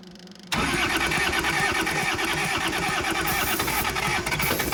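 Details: Kubota L285 four-cylinder diesel tractor, sat outside 8+ years, after bleeding air from the injector lines: short crank, then it catches and settles into a steady, even diesel clatter at idle; running healthy.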